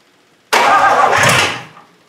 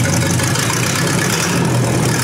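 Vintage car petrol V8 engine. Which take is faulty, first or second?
first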